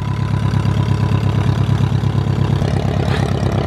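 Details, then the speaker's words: 2006 Zodiac 601XL SLSA aircraft, first run after sitting 8 years, taxiing: low even throb at steady taxi power, regular firing beat, no stumbles; engine running smoothly and healthy. "Oh man, that sounds healthy. Golly, look at it."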